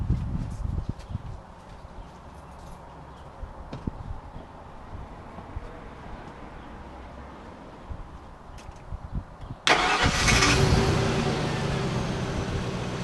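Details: Expo 4x4 after an engine swap with all-new parts, first start: nearly ten seconds of quiet, then catches at once and settles into a strong, steady run; healthy start.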